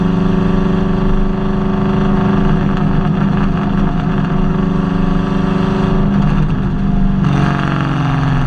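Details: Nissan Kouki VH45DE V8 idling with a lumpy, uneven beat and occasional stumble in the exhaust note; engine misfire, one cylinder dropping out.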